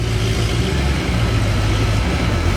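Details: Tuned Mercedes C63 AMG V8 in limp mode idling with a deep, lumpy, uneven rumble and rich smell; every cylinder misfiring, suspected blown O2 sensors, recorded before replacing all four O2 sensors.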